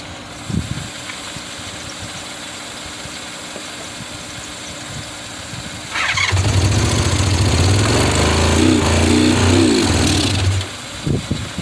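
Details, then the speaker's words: 1985 Honda VF500F Interceptor. The engine surges roughly and unevenly on fuel sprayed into the intake, then dies once the fuel is used up. It won't run on its own. "so i sprayed a little bit too much fuel in here you know just revving it up trying to keep it running and uh catches on fire"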